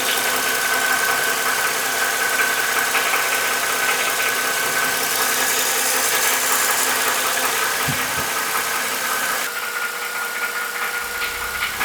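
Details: Mercedes M272 at hot idle after a flush and oil change to 5W-50: light, fairly regular valvetrain tick of two to three per second over the hum; the knock persists, perhaps slightly lower pitched or quieter.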